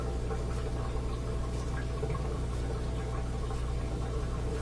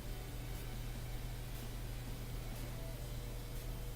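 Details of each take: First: Bosch Axxis washing machine that won't go to spin during its cycle: steady low drain pump hum with water gurgling through during a diagnostic test; the drain pump is working fine. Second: Bosch washing machine, dual cold water pre-wash inlet valve: steady low electrical hum with no rush of water, so the valve is energized but no water enters the dispenser; owner suspects the water inlet valve needs replacing.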